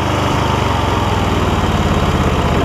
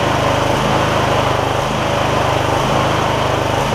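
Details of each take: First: MTD Lawn Chief garden tractor V-twin, 46-inch deck, Hi-Lo Varidrive, 7-speed, idling after a little choke: runs pretty good but speed rises and falls slightly, a mild idle surge from clogged carburetor jets. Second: MTD Lawn Chief garden tractor V-twin after debris found in the intake, suspected cause of the problem: steady even running note with no hunting or surging, run for a while to check for recurrence; normal running.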